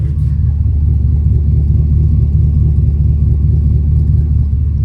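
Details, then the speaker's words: Car idling after fuel pump replacement, running on 87 octane: deep uneven rumble pulsing about twice a second, slightly lumpy exhaust with a little lifter tick; cuts out pulling through gears, owner suspects lifters; lumpy exhaust note. "I don't know exhaust is a little lumpy"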